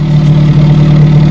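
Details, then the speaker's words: 1968 Commer 2500 van, last registered 1991, idling high around 1,000–1,100 rpm, possibly running rich: steady low idle, deep drone with raspy breathy edge; hole in muffler leaking exhaust, needs patching. "There is actually a hole in the muffler though that needs to be patched, as evidenced by when we block it. You can hear the sound of the muffler."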